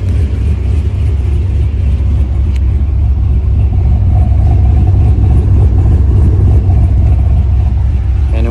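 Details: Idle with an exhaust cutout and a tune adding timing at underspeed and removing it at overspeed, about 3-4 degrees total, fuel use about 0.8 gal/h: deep, uneven lope, three or four lumps a second; lopey idle from timing corrections.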